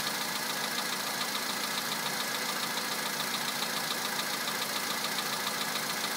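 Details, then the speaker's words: 2011 VW Polo Sedan, 64,000 km, cold start at +2°C, fresh Liqui Moly Molygen 5W-40 at max level, 98-octane petrol: sharp regular ticking knock just under two per second over idle; cause unknown, no change from switching on extra loads. "Такой вот неприятный стук. Уже задолбал."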